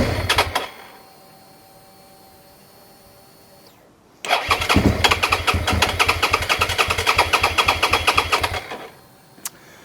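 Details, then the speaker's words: Suzuki SV650 that starts but runs only briefly: it fires and runs with an uneven pulse about four times a second for about four seconds, then dies abruptly; fuel starvation suspected, possibly low fuel or the fuel pump. "It's entirely possible we've got very little fuel in it and we're running the fuel out of the tank up."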